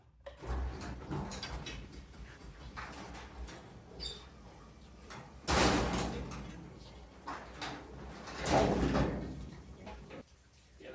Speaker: I think what the clanging it has to do with when this came unraveled came off each Groove um one Groove is for one Ravel of the cable